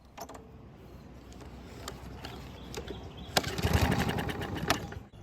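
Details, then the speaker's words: Neglected barn mower, missing air filter, primed with fuel, recoil start with loose starter pawl: scattered pull-cord clicks, then a ragged second of firing that fades out; engine fires but won't keep running, not worn out. "The good news is that the engine tried to start and run, and it's not worn out because of the missing air filter."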